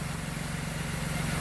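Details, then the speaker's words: Salvage Nissan Maxima rebuild, started after a broken part was noted and O2 sensor pending: steady, even low hum with smooth regular pulse, no misses or knocks; normal clean idle. "but as you can see she purring like a kitten"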